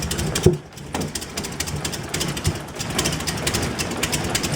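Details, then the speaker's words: 2004 BMW 325i restarted after oil leak work (CCV system, coolant hoses, genuine BMW oil filter housing gasket): uneven, lumpy idle with irregular stumbles and surges, running rough; with MAF unplugged it revs freely and runs smooth. "Let's give it a start, see what it does. I'm excited. I don't know about you guys. Hopefully it starts. Well, that sounds like crap."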